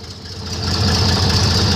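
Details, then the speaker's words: Airboat with a World War II airplane engine during its first test runs: it picks up, but the low beat stays uneven and lumpy, hinting at flooding. The carburetor float is sticking and dumping fuel. "float starting to stick that's so [ __ ] bad-ass so this is our good that [ __ ] thing runs [ __ ] airplane motor from World War two in [ __ ] still running afloat sticking"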